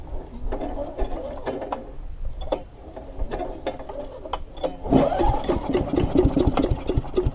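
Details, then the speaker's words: Earthquake wood chipper with Briggs & Stratton Intek I/C 206 engine, left to rust for two years, no air filter box; starting spray tried, repeated pull-cord cranking turns it over in bursts but it never fires: cranks but won't start, spark plug to be checked. "all right so it's not firing in let's take the spark plug there and have a look at that"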